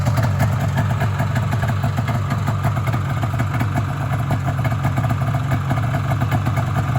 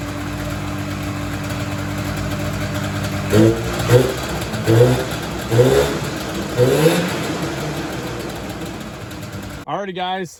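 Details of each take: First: Polaris Indy Sport 340 fan-cooled two-stroke snowmobile after motor swap and fuel line work: fast, even burble with steady rhythm, no stumbling; idle improved and holds smoothly, though it still bogs when driven. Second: Polaris Indy Sport 340 fan-cooled two-stroke snowmobile after motor swap, driving: throttle blips rise weakly and fall flat; bog later traced to gunk in carburetors and incorrectly set floats.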